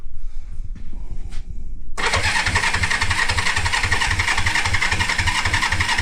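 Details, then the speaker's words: 1973 Honda CB350G, not run in 10 years, new battery, in neutral, choked, carb leaking: quiet clicks then steady cranking about four pulses a second that never catches; no spark at plugs, points then cleaned. "Alright, I gotta check if it's getting spark. Yeah, so I wasn't getting any spark on the plugs, so I went in and cleaned up the points a bit."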